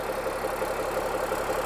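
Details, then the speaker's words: Cummins-engined Land Rover 130 diesel warm-up idle after attempted repair of coolant leaks into the oil galleries; about 10 minutes idling planned before checking the dipstick. Regular even clatter, no stumbles or heavy knocks; sounds healthy. "Still sounds pretty healthy. So I'm just going to let it idle for a while now, let that oil get warmed up,"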